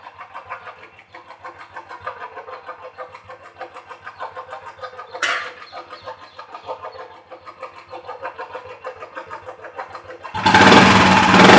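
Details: Royal Enfield single-cylinder about 1,500 km after mechanic servicing (tappet noise was loud at 2,500 km): light steady ticking over a soft thump, then a loud rush at the end; tappet clatter now tamed, normal idle.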